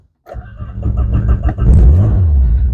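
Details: Barn-find Renault Clio Williams, started to roll off trailer: brief crank, catches at once and settles into a smooth, even run; engine healthy, exhaust scrapes coming off.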